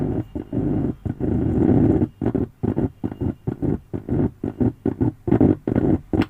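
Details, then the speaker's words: Zebronics home theatre bass humming: low buzzing growl cuts in and out as the opened signal-line resistor's points are shorted with tweezers; humming stops when released, fault traced to that signal line. "तो ये जो resistance को open किया, ये point को मैं tweezer से shorting करने का समय आप सुन सकते हो। देखिए सेम तरह आवाज़ आ रहा है।"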